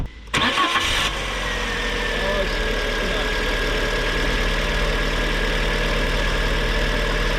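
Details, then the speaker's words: 2010 Fiat Panda 4x4 1.2 8v petrol, about 135k mileage, after fixing a misfire by cleaning around the plug area and reconnecting the spark plug wire: cranks, catches quickly and settles into a smooth, even idle with no miss. "and that was how simple it was to cure the misfire problem on this little car"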